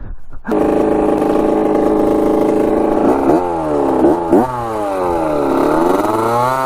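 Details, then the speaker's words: Rebuilt 1985 Yamaha YZ80 two-stroke dirt bike, warm, first ride: a crisp, buzzy note climbs cleanly through several gears and snaps back on each shift, pulling strongly without bogging. The silencer is not working well. Normal running. "yeah she's sounding pretty good that's crazy obviously the silencer is not really working too great but uh yeah she's ripping good"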